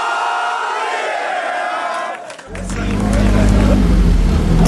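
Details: Nissan 240SX turbo project car, first start after troubleshooting and timing work: after a pause the engine catches and settles into a steady, low, even idle with no knocks or misses; running fine.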